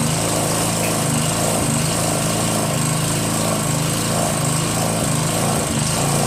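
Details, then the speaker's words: Northern Hydraulics pressure washer, Briggs 3.5 HP, sat 8 years, started with starter fluid, clogged wand tip cleared: steady, even single-cylinder buzz, no misses or knocks; runs normally, pressure weak. "I mean the pressure sucks but it's only three horsepower now it works"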